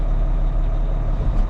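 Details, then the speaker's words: Volvo L180G wheel loader, previously showing engine failure and fuel level errors, idling after jump start and added fuel: deep steady diesel rumble, even beat, no knocks or misses; idling cleanly. "All right, guys. We got her running >> alive. It's alive."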